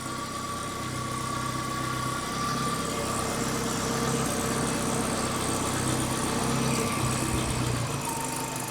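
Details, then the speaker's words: Datsun 120Y during idle adjustment: a steady, even idle, slightly high, being lowered toward about 600–700 rpm. The ignition timing is possibly off. Normal idle. "see the idle speed is slightly high I'm not sure where it's supposed to be I think it's around 600 or 700 or around that Mark so I'm gonna try to lower it"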